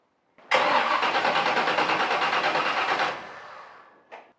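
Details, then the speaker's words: Block-mounted Chevy starter after installation with gear mesh 25-35 thousandths and 0.100 in pinion-to-flywheel clearance; brisk, even cranking for two seconds, then the engine catches: normal starter cranking. "sounded great. That's why we take the time to do the proper measurements."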